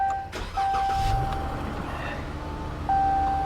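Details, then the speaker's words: Dodge car at a Copart salvage yard, low on gas: engine catches on the first crank and settles into a smooth, quiet idle under a steady door chime; normal engine start. "she fired right up low on gas"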